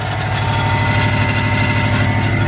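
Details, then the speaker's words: Subaru Legacy GT just after engine reinstall: steady idle with a faint constant whine over the engine note; owner believes the loose AC belt is the cause and plans to tighten it. "i'm pretty sure this ac belt is loose and that's what's making that noise i need to tighten that up"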